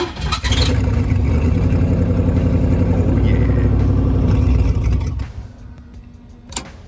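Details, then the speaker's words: Turbo LS-swapped Blazer engine, fuel pump cycled three–four times to about 58 psi: catches, runs rough and loud about four seconds, then dies; not tuned, needs TPS sensor and new idle air control valve. "then basically it's gonna die why is it gonna die because um again it's not tuned properly"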